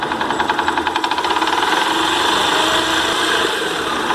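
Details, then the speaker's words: Chevrolet Monza engine: light, fast metallic rattle about three to four beats a second over idle, quieter at high rpm, loudest on starter side; suspected starter one-way clutch (bendix) noise. "o barulho é mais caracteriza esse lado não pode ser que a embreagem o direcional que fica no conjunto da partida elétrica está fazendo barulho"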